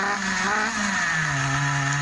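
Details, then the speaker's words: Schumacher XTR21 RC nitro car, rebuilt Pro21R nitro engine on the bench: small engine buzzes, pitch sags and stays low instead of climbing; lazy and splattery on throttle opening, running rich, won't rev high; low speed needle or throttle stop being adjusted. "so it's still lazy when you open the throttle it's a bit splattery so again we try B that in a fraction so it's still it's picking up now but it won't rev very"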